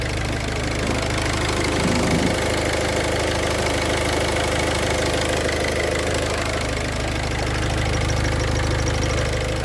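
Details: Idling engine with a faint, steady cricket-like chirp over the low rumble, heard while the clutch pedal is pressed and released: the clutch release bearing is starting to wear, its balls beginning to go.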